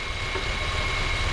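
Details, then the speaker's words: 2012 Honda Civic natural-gas engine with code P0303: an idle with an uneven low thump and hiss, as one cylinder drops out, with a misfire on cylinder three. "it has a misfire on cylinder number three and the interesting thing is it's natural gas"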